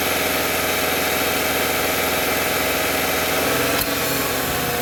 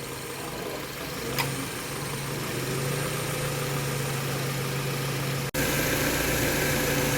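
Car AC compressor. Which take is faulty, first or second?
first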